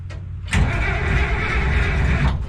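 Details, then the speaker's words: International Harvester (IH) 1026 tractor, starter rebuilt, cranked a few times first to build oil pressure: brief crank, then it fires and settles into a steady low rumble without misses; normal start, though the muffler mount leaks exhaust. "What I like to do before I start it is crank it a few times, get some oil pressure going. Ooh, she wants to start."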